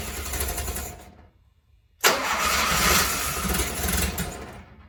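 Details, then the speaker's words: 1972 Fiat 850 Spider fed from an external fuel supply, with less choke: starter cranks in two even bursts but the engine never catches; no start; owner suspects a clogged fuel pump, as no fuel came out of it. "Okay, so I got a little bit of evidence that it might be a clogged fuel pump, because when I took off this hose here and it went to here, there was fuel here, but none came out of here."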